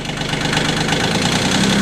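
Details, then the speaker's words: 2006 Kioti CK20 diesel tractor cold-started at about 36°F in garage after glow plugs; even diesel clatter bogs slightly as clutch is let out, engine struggling to move cold oil; cold diesel labouring under load. "all right just let the clutch out you can hear the engine having a little hard time"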